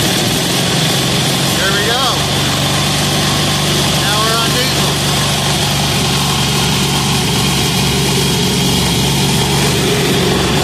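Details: 186FA diesel engine, fuel run out then restarted in an alternative-fuel test with Road Tech 10W-30 synthetic blend motor oil added: steady, even chug at idle with no misses or knocks; healthy.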